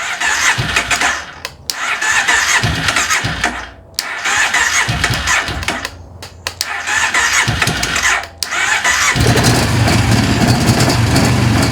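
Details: 2005 Kawasaki Prairie 700 ATV after years in a barn, fuel restored, new plug, choke on, battery charger connected: repeated starter cranking bursts with short pauses, then it catches and settles into a steady run; hard start.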